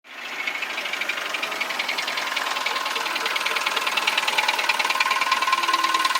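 Crisp, regular tapping about three times a second riding over the idle, slightly rising in level; a light knock, possibly piston slap.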